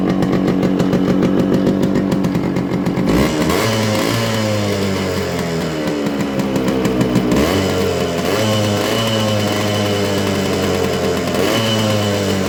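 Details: Yamaha RX100 two-stroke with original silencer: loud, crackly buzz climbing and falling with throttle blips, with smoke, then settling back evenly; healthy engine.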